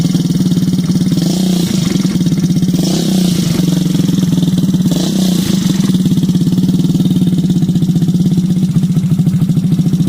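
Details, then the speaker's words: Yamaha Zuma scooter with GY6 engine swap, first start after fitting new stator, starter solenoid and fuel pump: loud, steady, fast exhaust putter holding an even idle, no misses; slight smoke from PB Blaster, runs fine. "let's just see will it crank up and what it sounds like this sucker is loud got a little bit of smoke coming out of the exhaust pipe that's from that pb blaster"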